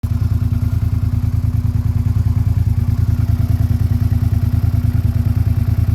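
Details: Suzuki SV650 V-twin after replacing worn cam chains that caused a rattle: steady, even thump about three beats a second, no rattle or ticking on top; engine sounds healthy.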